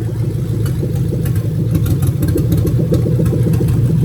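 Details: 2000-2003 Lexus LS430 3UZ-FE VVT-i V8 on a new engine harness test, injectors unplugged one by one. The idle is lumpy and uneven with an irregular stumble in the low burble: a misfiring dead cylinder.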